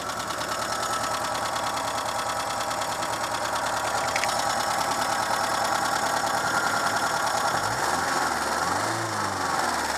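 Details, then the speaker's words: Renault Super 5 running on 100% ethanol, just after a head gasket replacement, valves not adjusted afterwards: light regular ticking about three per second over a steady idle, more audible at idle than driving; one noisy rocker arm from valve clearance. "il semble qu'il y a un culbuteur qui fait du bruit mais bon ça c'est ma faute normalement faut le faire dès qu'on change le joint de culasse"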